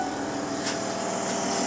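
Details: Ford Expedition air suspension: electric compressor hums steadily with a fixed whine, running continuously while the air springs never inflate; the solenoids were not leaking, the leak is at the air dryer line on the compressor, which lacked its sealing retaining rings.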